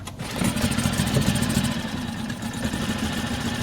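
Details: Mercury 4 hp outboard after no-start revival (not a carb issue), first start: catches on the pull and settles into a quick even putter with no misses; starts and idles normally.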